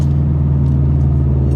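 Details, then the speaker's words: UK-spec Subaru Impreza STI, 2.5 boxer forged to fix its gremlins, with unequal-length manifolds: deep, steady rumble with the lumpy off-beat flat-four burble; healthy. "And this one has most certainly got that burble, and it sounds absolutely mega."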